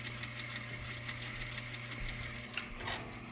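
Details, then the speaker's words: 1976 Rowe R-80 jukebox (45rpm, 200-selection): steady mechanical whirring with fast rattling ticks that runs on without an engagement clunk; selector turns but never selects a record, cause suspected, not confirmed. "it's turning the selector now but it's not actually selecting"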